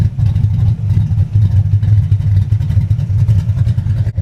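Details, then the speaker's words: High-compression big-cam engine with manual, SpinTech 9000 mufflers, Anderson N-111 cam, 33–35° timing at idle: deep choppy lope two to three times a second through loud exhaust; healthy big-cam idle. "That's the SpinTech 9000s with Anderson N-111 and that's high timing, guys. This is 35°, 33 to 35° timing at idle."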